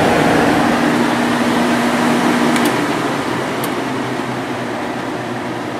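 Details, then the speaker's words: 1995 Sharp Comfort Touch 10,500 BTU window air conditioner fan motor after cleaning, bearing replacement and oiling; steady quiet airflow hum with no squeal, rattle or bearing grind, running smoothly. "yeah that's nice and quiet now"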